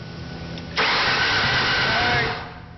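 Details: Ford Taurus after an engine job (piston rings mentioned), possibly first start after rebuild: brief crank, then engine catches and settles into steady, even idle before dropping away; starts cleanly and runs normally.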